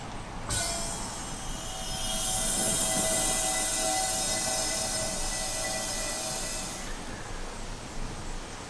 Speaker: you could actually hear it kind of start filling up the tank what i do is i just leave it open here for a little bit until you hear that hissing sound go away